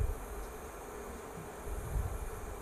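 Soft, steady low buzz with faint bubbling from the pot, no crackle or rattle: induction hob humming normally while heating.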